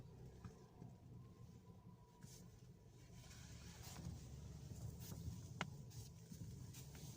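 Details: Skoda Octavia A7: low rumble with a few sharp, uneven knocks when the steering is turned right almost to full lock. It is silent with the wheels hanging on a lift. Steering or front suspension knock, cause unknown.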